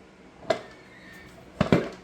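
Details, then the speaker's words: 1986 Oldsmobile Cutlass LS swap, installing the new torque converter: a dull clunk, then two heavy clunks as it drops onto the input shaft, meaning it is fully engaged and correctly seated. "two, and bam, there you are. Two clumps and we're in there."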